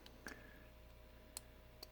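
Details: Motorino XPH scooter, ignition on with turn signals and hazards off: faint dry ticks at uneven intervals as the flasher keeps clicking, started after batteries (one found wet) were refitted; owner suspects a fault, cause unknown.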